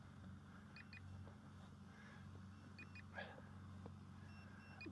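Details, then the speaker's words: Eachine P-51D Miss Helen brushless RTF RC plane with 2S battery, landed: pairs of short high low-battery warning beeps repeat, heard over a nearby mower drone; beeper can also be triggered by holding a button 3 seconds. "but that's a little battery beep now again you can make it beep automatically by holding this button down here for 3 seconds"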